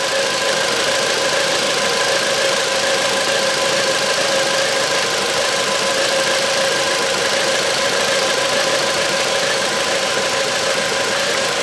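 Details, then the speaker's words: 2009 Volvo V70 with misfire on cylinder 3 and codes P0303, P2008, P0138, plus oil found in that cylinder: listening at the cylinder 3 injector gives steady, even ticking, about three a second, so the injector works normally. "ja, den där knackar ju jättefint också på sprida igång det. Knack knack knack knack knack knack."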